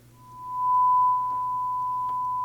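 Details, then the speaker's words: Marantz 2245 receiver bought for parts/repair, after cleaning with contact cleaner: single steady clear tone on left then right channel with no crackle or dropout; sounds much better, though right channel still quiet on FM afterward. "There's left and there's right. So, that sounds a lot better already."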